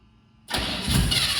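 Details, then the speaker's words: Old V8 started on ether and old gas after sitting unrun since 2004: silence, then sudden catch into loud, rough rumble that holds steady; runs like a champ, though some blow-by noted. "It's running like a champ, bro. That's crazy. I can't believe it's running on that gas."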